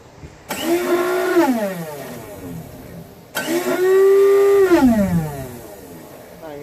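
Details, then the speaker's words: Old Craftsman 5HP single-stage snowblower with Tecumseh engine, electric start attempt: two bursts of smooth whirring spinning up and down, no engine turnover; starter spins without engaging the flywheel gear, owner thinks it needs greasing. "not gonna work because the starter is just spinning it's not moving up with the spin to grab on to the gears of the flywheel"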